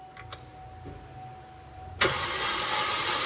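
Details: Chevrolet Trax LT that sat in storage, fuel pump and ignition coil already replaced: starter spins evenly, slightly quick, never fires; spark present.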